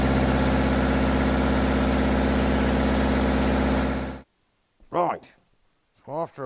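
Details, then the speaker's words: Recovery truck with a newly fitted diesel engine, after injectors were removed for new seals and refitted: it idles with a hard, helicopter-like chopping clatter about three beats a second, then cuts off; the refitted injectors were likely damaged. "we've discovered that a couple of the injectors that were in this engine when it ran right that we took out did the injector seals put them back in that must have killed them that's why it sounded like a helicopter"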